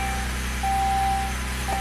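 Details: 2006 Saab 9-3 Aero V6 turbo manual with the original engine computer refitted and both feeds on ignition power; check engine light on, check OK. Steady, even engine hum with a brief chime, no misfire. It starts and runs normally.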